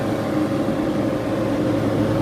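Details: 15-inch Silverado PWM radiator fan in a BurnDown/Warr Performance shroud, ramped to 50% duty cycle: steady airy rush with an even mid-pitched hum, no ticking or rubbing; normal moderate-speed running, about 1300 CFM.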